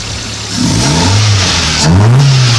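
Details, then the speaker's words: Toyota Paseo after fixing water in cylinder #1 and refitting the spark plugs and wires: two clean revs rise and fall smoothly with no misses, and the engine runs evenly on all cylinders. "well the windshield super dirty but I be running just fine it pulls like it always used to which is a very fast but I mean it hold and you know it's running fine"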